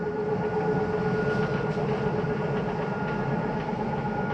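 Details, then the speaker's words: 2022 Flagstaff Microlite 25FBLS travel trailer, living room slide retracting: steady motor hum with quick uneven clicking about four per second once the slide is fully in; normal end-of-travel signal. "so why don't you hear that noise that is just a slide mechanism telling you that it's in as far as it needs to go you don't need to bring it in any further"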